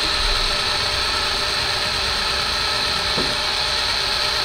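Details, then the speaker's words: Race car V8 that sat over winter, oil pump spun by drill for about a minute: constant high drill whine with faint gear chatter; 50 psi shown and oil seen at top of engine, fully primed. "i now see oil up in here in the top of the engine so i know that oil has made it through the entire engine at this point"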